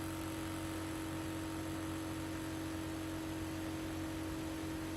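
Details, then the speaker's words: Projector exhaust fan on a bench supply, voltage lowered from 12 V with a buck converter module to about 2 V for noise reduction: a steady, even whir with a soft hum, running quieter. Finding: normal fan running at reduced speed. "pour terminer je me mets à 2 volts donc vous avez compris on va simplement baisser le"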